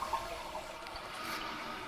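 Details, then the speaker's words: Toilet running: steady hiss of water into the bowl after the flush. Slack left in the chain snags the flapper on the flush valve so it never seals. The fill valve is also broken. "notice very carefully whoever installed these components they left some slack in the chain so it snags onto the flush valve and keeps the toilet from completely shutting off which is unfortunate and both of these things can run up your water bill"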